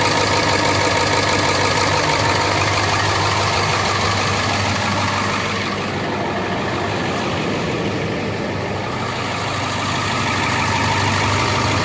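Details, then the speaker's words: 2002 International chassis diesel pusher bus with a T444E engine at idle. Loud rumble with a quick, regular puffing tick about three times a second from several exhaust leaks. "Okay, so as you saw, there's a few exhaust leaks on this side. There's also one over here."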